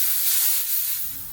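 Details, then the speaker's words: Leaking tire that holds air only two or three minutes: a steady, sharp hiss of escaping air at the leak point that fades over a second or so; the tire is still leaking. "oh yeah she's still leaking right right here there it is so yeah we got a good two or three minutes of air on this thing"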